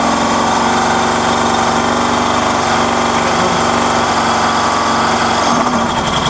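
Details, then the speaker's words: Small engine unit newly mounted inside a converted 2002 Iveco Daily camper with its exhaust routed out the back, heard inside: a steady, even, buzzy drone with no knocks or misses; normal running. "Actually not that bad in here. Close this door. I mean, that's bearable, isn't it?"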